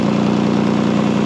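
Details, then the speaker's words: Older Toyota Highlander idling after O2 sensor repair; rapid puffing tick in time with firing. Exhaust leak from a screwdriver-sized hole right next to the O2 sensor. "we got a pinhole leak while it's more than a pinhole we've got a screwdriver whole week right here"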